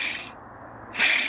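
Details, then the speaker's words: Removed wheel bearing from a truck that had been jumped and mudded, spun by hand: coarse, hissy, gritty rasp in two short bursts instead of a smooth whir; debris visible inside and the bearing was audible while driving. "that was definitely the bad one look down in there at that junk holy crap I told you we could hear him coming down the road man that thing is so gritty"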